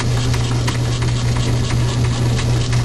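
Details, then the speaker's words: Logan lathe turning a medium-carbon steel railroad spike in back gear, after the seized change-gear idler was freed and a half key modified: even low hum with a steady faint tick at higher spindle speed, no grinding; gears run quieter and truer. "All of this is uh much quieter. It's not uh making any noise at all. Look like the gears are running trueer than they were before."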